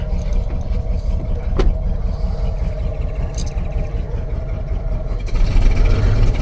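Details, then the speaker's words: Ford F250 pickup with 302 V8, first run after sitting 12 years: runs rough and uneven with low thumps stumbling out of rhythm; misfiring badly but running. "definitely miss firing a lot you come around this is great it's absolutely amazing"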